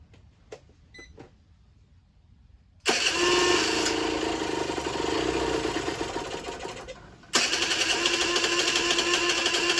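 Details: Generic Trigger SM 50cc two-stroke on a temporary fuel tub with a stiff old throttle cable: fires, buzzes raggedly, sags nearly dead, then picks up revs alone. Rough, surging idle; owner suspects an air leak, later found around the intake manifold, plus blocked jets.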